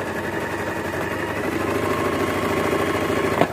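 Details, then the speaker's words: Singer sewing machine after cleaning and oiling its moving parts to cure noise and jamming: smooth, even whirr at steady speed with no clatter or knocking. The machine runs freely and sounds clearly quieter than before. "आपने मेरी machine की आवाज का difference पद salary कितना फर्क पड़ा है"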